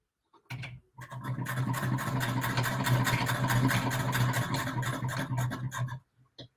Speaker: i personally really enjoy the sound that she makes